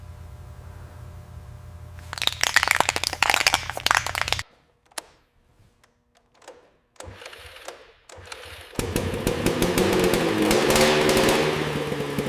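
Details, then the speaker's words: 1981 Suzuki GT250 X7 two-stroke twin, barn find after full rebuild: lumpy uneven running with popping crackle and ragged rev; left cylinder not firing, running on one cylinder. "And as you can hear and see, we've got a serious issue with the left cylinder. It seems we're only running on one cylinder."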